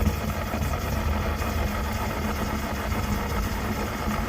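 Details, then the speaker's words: Coleman 530 G.I. A46 pocket stove after teardown, cleaning and reassembly, pumped up and lit, warming up: steady, even roar with no sputter or surging; burner running clean and hard at full flame. "so now it's supposed to blow flame like that for a little bit here as it warms up it's supposed to turn into just a blue flame and uh burn really hard"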